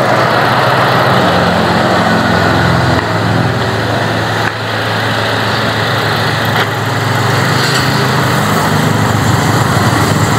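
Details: Car with a dropped battery, after a jump start: engine holds a steady, even hum with no misses, stumbles or knocks; runs normally once started.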